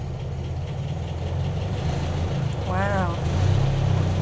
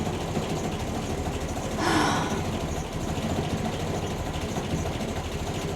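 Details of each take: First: Land Rover Series 2a station wagon starting without choke: a low, even idle with a steady beat and no knocks or misses. It dislikes the choke, possibly running a bit rich. Normal idle. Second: Land Rover Series 2a station wagon, likely Weber carb, warming at tick-over with no temperature gauge: uneven lumpy idle with wavering beat and stumbles, made to sound worse by exhaust behind the mud flap; mixture too rich, rough idle.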